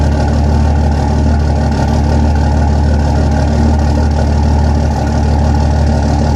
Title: Possible bad injector #33